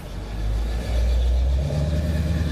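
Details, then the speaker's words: Four-wheel-drive Chevy truck passing by: deep, even engine rumble swelling as it passes, no knock, miss or rattle; sounds like a healthy engine. "guy's got a nice four-wheel drive Chevy truck. It sounds good."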